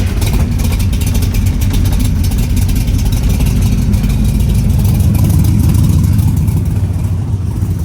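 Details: 1972 Corvette, 383 stroker with aluminum heads and intake, Holley carb, Muncie 4-speed, Dougs side pipes, recently restored: just fired up, deep loud lumpy burble settling into a steady strong idle, no knocks or misses; healthy.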